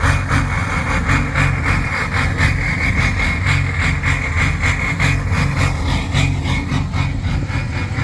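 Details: Ford 6.0 Powerstroke diesel with a rough idle and smoke: an uneven, loping beat of about three or four pulses a second that never settles smooth. Cause not yet found.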